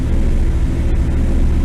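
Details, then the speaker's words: 1957 Chevy V8 long sitting in garage: deep heavy rumble stuck at fast idle about 1800 rpm, won't go below 1600; carburetor float suspected stuck, suspected too much fuel. "It runs at high idle. You know, I'm running about 1800 RPM right now. It'll run at 1600, it's about as low as it'll run. So I think it's just getting too much gas."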